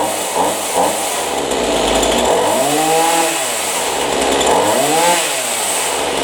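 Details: Chainsaw after adjusting the high-speed carburetor screw without the special tool to cure bog-down, air filter checked clean: revs up and drops back cleanly several times without bogging or sputter; now running properly.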